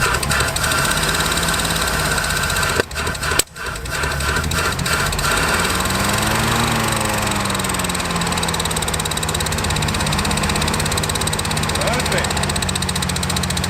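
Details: Land Rover Series 1 sitting for years, first run; the engine stumbles briefly, then revs rise and settle into a steady, even idle. Running normally.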